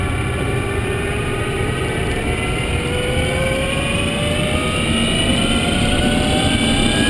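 Thin whining tones climb steadily with road speed over tyre and road rumble; the drive motor is whining under way.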